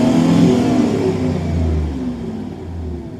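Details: 2002 truck V8 revved: smooth rise and fall, clean even exhaust, no misfire now; earlier misfire on bank 1 (cylinders 1,3,5,7) with high trims on the other bank, suspected faulty front O2 sensors.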